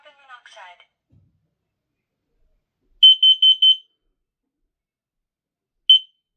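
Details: Kidde KN-COSM-BA combination smoke and carbon monoxide alarm with voice, test button pressed: loud, clean high-pitched chirps in a burst of four then one, alarm sounding properly.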